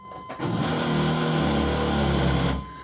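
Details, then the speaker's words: 1997 GMC 1500 5.7L Vortec with crank-no-start, late cold and hot starts, and a tank that won't drop below half, at the key-on prime: a roughly two-second rough, wavering hum; the in-tank fuel pump module is failing. "that thing sounds different today than it did when we got it running that pump does not sound happy all right key off"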